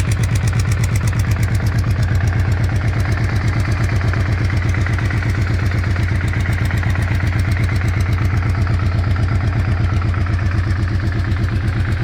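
Steady idle with a regular clatter near 160 per minute riding over the low rumble; something is knocking, cause not yet pinned down.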